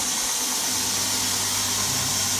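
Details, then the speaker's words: Homebuilt multi-speed, single-phase 72x2 belt grinder running at constant speed with an even, airy belt hiss. There is no knocking, slapping or grinding; it runs smoothly and quietly. "So I like this out because anything on the lever on a machine vibrates. I'll just turn it on. It's really quite quiet."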